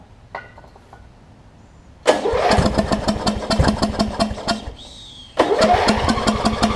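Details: Wizard (Craftsman-type) riding mower with its old carb beyond use, carb cleaner sprayed in: steady even starter chuffs for a few seconds, a pause, more cranking, never fires. It cranks but won't start; owner suspects a fouled plug or sheared flywheel key, unconfirmed.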